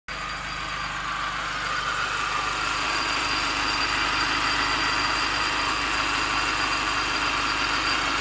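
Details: 2005 Mini Cooper S at idle: steady thin high whistle and squeal riding on top, unchanging; belt drive noise, owner suspects idler pulley.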